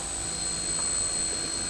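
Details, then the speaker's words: RC Cessna 182 electric plane after replacing a bad ESC that had caused lack of power on takeoff: strong, steady high whine with full even roar at full power; motor run-up sounds healthy. "so replace the ESC in the sound that sounds much help it got the power now it's got power down here to the South"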